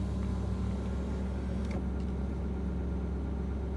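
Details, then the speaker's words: Ford 6.7 Powerstroke diesel at self-raised high idle warming the catalyst (not a regen), exhaust filter load 35%, oil probably around 100: steady high idle with constant low cooling-fan roar on top; normal, cooling fan engaged. "There's the cooling fan again."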